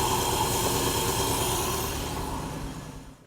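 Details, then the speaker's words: Old Mercedes-Benz V8 idles fast at startup even with the idle adjustment fully in; the throttle linkage is sticking, and the planned fix is lubricating the linkage, including the rod to the transmission. "Why is it idling so fast? I mean, the idle adjustment's all the way in."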